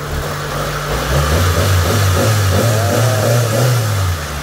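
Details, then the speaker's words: Mitsubishi Lancer "pizza" engine after refresh, following overheating from burst radiator and blown head gasket; new radiator and bypass tube fitted. Smooth, even revs rise and fall cleanly, no misfire, knock or stumble; earlier misfire gone, healthy revving. "And ito na rin yung andar ng makina ni Bossing. Yan. Pinong-pino na. Palyado ko nung nakaraan, di ba?"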